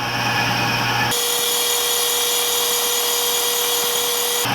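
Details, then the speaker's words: Howtek 4500 drum scanner during drum preview scan, verified working: steady even high-pitched whir with faint constant tone, no knocks or scraping; very quiet and smooth drum rotation. "You can hear how quiet that drum scanner is. It's just very smooth."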